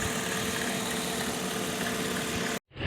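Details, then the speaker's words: 2005 Mercedes ML350 from a Copart lot, jump-started with a dead battery: smooth even V6 idle with a faint hum, no ticking or knocking before the cut; runs pretty good. "Starts. Yeah, sounds like it runs pretty good."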